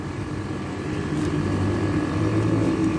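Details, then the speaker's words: Split AC outdoor unit: compressor runs and both pipes are cold, but the condenser fan will not turn, with a steady compressor hum and no fan rush. The cause is a faulty fan capacitor, which leads to overheating and overload cycling. "Nah tapi di sini untuk di fans ini dia nggak mau berputar teman-teman ya"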